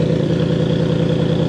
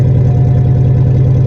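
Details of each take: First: Cadillac limousine abandoned 10 years, started after a new exhaust flex pipe was fitted: steady, deep, even idle with no misses or knocks and some rattling inside the exhaust. Sounds like a proper Cadillac. Normal idle. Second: Cadillac limousine abandoned 10 years, first start: deep loud blatting drone at idle with pulsing low rumble and no muffling; catalytic converter cut out, spider webs inside; loud exhaust from missing cat.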